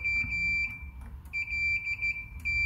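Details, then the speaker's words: Mezzabarba Trinity 100W amp with ground loop hum, input socket unbolted from the chassis: clear high continuous multimeter beep with brief breaks as the probes shift; the earth pin still reaches preamp ground through a wire to the PCB. "the preamp is still connected right because we have a wire from this earth pin that that wire runs onto a ground pad on the pcb"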